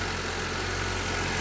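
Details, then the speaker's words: Honda Civic after replacing the noisy belt tensioner bearing and idler bearing: smooth, steady idle with an even low hum and no squeal or rattle from the belt pulleys; the noise is gone. "Sige, start mo nga. Tingnan natin kung ano na siya. Wala na siyang ingay."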